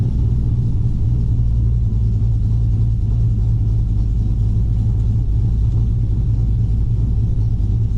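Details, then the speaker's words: Cammed Gen 3 V8 (112° LSA cam) on a tune reverted to stock 2004 Yukon except base running airflow: steady deep rumble held well above normal idle, never settling; throttle held open and idling high, cause not yet found. "So kind of trying to nail down what it is that's keeping the throttle open and idling so high."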